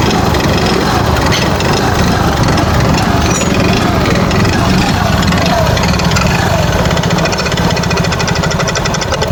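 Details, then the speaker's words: Yamaha Fascino 125 BS6 scooter brought in for heavy smoke, revved to full then idling: a loud, harsh clattering rattle from a worn piston and bore with heavy carbon buildup. The engine will be opened. "Engine में आके बहुत ज्यादा different सा sound आ रहा है"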